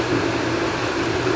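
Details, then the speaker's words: Filter backwash after opening backwash valve: steady rushing hiss of water through the filter with low pump hum; normal backwash flow, blowing out. "right, now they're open. You can already hear she's kind of blowing out."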